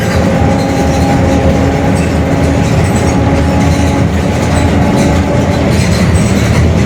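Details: Mercedes-Benz OF-1721 Bluetec 5 extended urban bus, Mascarello GranVia Midi 2014 body, built 2021, cruising: a steady low growl with a constant droning tone over the road rumble, from a growling rear differential.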